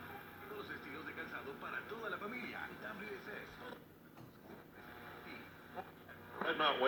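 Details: Mid-1960s Arvin 36R07 AM/FM radio on its final test after repair: station audio comes through clear and steady with no crackle, hum or fading; playing normally.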